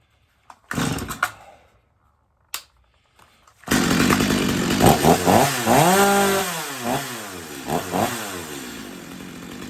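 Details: Stihl MS250 chainsaw after carb retune (previously warm-restart trouble), warm no-choke start; fires and revs cleanly, rising and falling smoothly without bogging; tuner satisfied with the tune.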